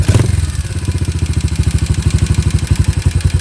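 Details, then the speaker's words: Yamaha SR250 single at idle after adjusting aftermarket Jadus air fuel screw back to setting three quarter-turns in, throttle blipped: settles straight into an even thump, about thirteen firings a second, good stable idle. "it should come back down to a good stable idle."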